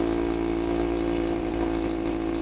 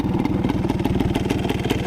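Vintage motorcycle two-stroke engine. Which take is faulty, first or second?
first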